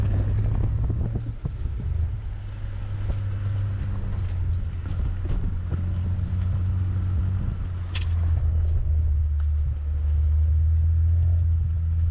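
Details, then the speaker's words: Turbo BMW straight-pipe exhaust with cheap resonator, idling in drive after fixing rattle by replacing failed Flowtech Raptor mufflers and correcting heat shield and installation. Deep even low rumble, BMW rasp, no buzz or metallic rattle; normal exhaust at idle. "now you can't judge that that's the sound of the exhaust just coming out that's that's just the rasp that is bmw when you have a straight pipe and just a very crappy resonator in place"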